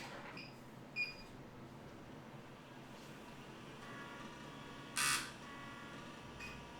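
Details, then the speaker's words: Miniscribe 8425 3.5-inch MFM hard disk from 1987, tested with no errors; after power-down, quiet room then soft rising spindle spin-up tones with a brief seek burst, a clean normal start. "you'll hear the stop of the drive and then i'll power it on again once more just to do a start-up so you can hear the the good uh shut down and start with the hard drive"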